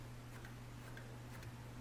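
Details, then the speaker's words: SunnySky Angel A2215 800 kV brushless motor from a multicopter, turned by hand after a crash, gives faint light ticks about twice a second and stops spinning sooner than the others; loose magnets rubbing inside, motor to be opened. "então ele realmente tá raspando em alguma coisa para poder resolver isso aqui a gente tem que abrir o motor"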